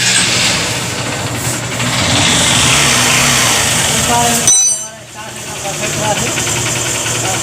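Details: Honda CB Shine single-cylinder, petrol, after engine noise repair: short pause, then it fires and settles into an even, steady idle with no bottom-end knocking; normal idle.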